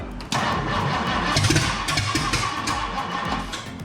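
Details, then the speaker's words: 1962 Mercury engine, started after the fuel pickup hose was found at the top of the tank and fixed so it draws fuel: it catches and settles into a quick, even, light ticking run like a big sewing machine, with no misses. Normal start and idle. "So it sounds like a big sewing machine. All right. Heck yeah."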